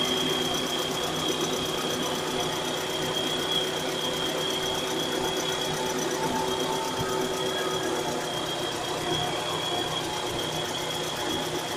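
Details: 1998 Mitsubishi Carisma GDI petrol engine idling after a new timing belt and A/C belt, fast light ticking/knocking over steady hum and faint whine, present whenever started; cause undiagnosed.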